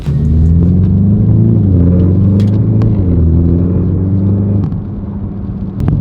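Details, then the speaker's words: BMW 330e G20 with aftermarket Alibaba valved backbox, cold morning, driving at low revs: low droning rumble swelling with throttle, worst letting off the brake, audible around 2000 rpm, absent when revved stationary. "It used to be the worst when you're letting off the brake a little bit. So for example, but once you go to like around 2K, you can hear it."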